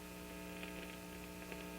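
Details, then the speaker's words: 1950 RCA 9-X-561 vacuum tube radio with 8-inch speaker, after recapping and resistor replacement: steady fixed-pitch mains hum that stays with the volume turned down; later tried an electrolytic capacitor to remove it. "I was hearing that hum again give it a huh and it it doesn't really go away when I turn the volume down"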